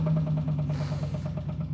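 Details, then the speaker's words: 1987 Chevrolet Camaro IROC-Z V8 at idle: heavy, regular knock pounding through it, a big rod knock, serious engine damage. "What that is one big ass rod knock, and well, let's just say that's not good."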